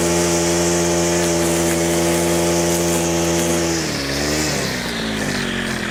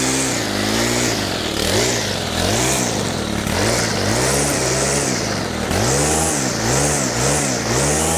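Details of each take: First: Stihl FS100 4-Mix brushcutter on its final test after a full service and throttle cable adjustment: strong, steady high-pitched drone that dips and recovers smoothly with throttle changes, now reaching wide-open throttle and no longer dying after minutes; normal running. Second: Stihl FS100 brushcutter, 4-Mix four-stroke, completely cold, on fuel said to be fresh and mixed: at wide-open throttle with the choke off, revs hunt and splutter and it dies. Cause found: slack throttle cable and excessive valve clearance.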